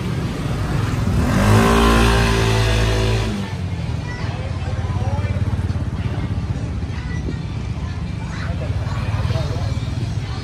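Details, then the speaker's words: 2018 Honda SH300i scooter after CVT clutch rework and engine adjustment, hot engine: smooth even idle with no knocking, earlier clacking gone; normal idle. "Giờ mình cố t làm có một cái lỗi đó nó im Mở tua nó nhẹ xe máy móc g không ba anh em nóng vẫn này luôn không có kêu"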